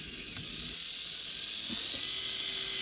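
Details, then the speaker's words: Lima class 50 model locomotive during servicing, motor on leads from a controller at medium speed while the wheels are cleaned against a fiberglass pencil: thin, steady high whine climbing gently in pitch, no rattle or stutter, running smoothly. "I've hooked up some leads to a controller you can see it's running so what I'm going to do this time is I'm going to set that to a medium speed"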